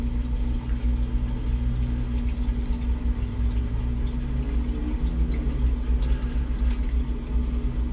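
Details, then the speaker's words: Dishwasher drain pump after cancelling cycle, draining through hose into its own ABS drain with P-trap: steady low hum with faint gurgle of moving water, even and unbroken; pump emptying tub normally. "it's draining if you guys can hear it but it's draining into that from that tube down into its designated abs drain has its own pee trap"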